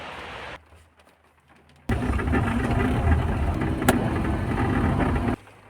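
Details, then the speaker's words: Old car's petrol engine running smoothly, low steady hum swelling to a louder, fuller roar; normal running. "a old car it is an old car but it's still smooth as can be"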